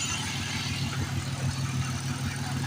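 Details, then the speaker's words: Engine idling after repair to warm up, gauges not working: smooth, steady low drone with no upper cylinder rattle, valve train rattle or knocking; normal idle. "Sounds pretty decent though. I don't hear any upper cylinder rattle or any valve train rattle. I don't hear nothing's knocking down in there."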